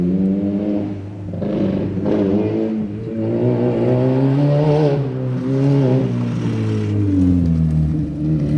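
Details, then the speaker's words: Mini R50 budget race car on test: revs rise and fall unevenly with wavering pitch and hesitation under throttle; rough running from a bad ECU base map that needs modifying. "As you can hear, we had a problem with the base map. That's why I said I need to modify it."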